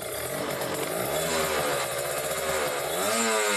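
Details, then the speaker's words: Kawasaki Ninja RR two-stroke, Mikuni 28 carburettor, air screw at two and a half turns out: crisp burble holding a steady middle idle speed without surging or hunting; mixture correctly set, normal idle. "ini rpm nya udah tengah gitu enggak berobat berarti itu menandakan bahwa si settingannya udah pas ya"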